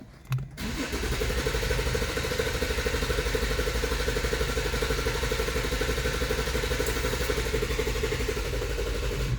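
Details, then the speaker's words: 2014 Infiniti Q50 with code P0340 and bank 1 INT-V/TIM reading -17, camshaft sensor already replaced: starter cranks steadily for several seconds without catching; crank no start. It starts when the sensor is disconnected. "let me start that's the cover of the engine you see it doesn't want to start"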